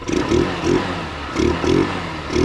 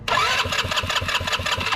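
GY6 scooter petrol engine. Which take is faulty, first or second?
second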